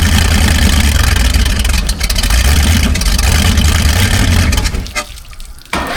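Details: 1978 Hawaiian 21ft jet boat, Ford 460 big-block, unrun for years: loud, uneven running, surging and sagging for seconds then falling away, barely staying lit; mouse nest in exhaust, carburetor likely needs pulling.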